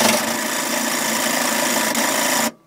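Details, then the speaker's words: 1985 Sea Ray with a MerCruiser 3.7L 170 HP, long-standing hard starting, battery believed full: a steady whirring crank for about 2.5 seconds, then it cuts off without catching. The owner suspects the timing chain jumping or the tensioner. "we've had these starting issues for quite some time eventually the boat will start but it seems like this could be a timing chain missing issue at startup"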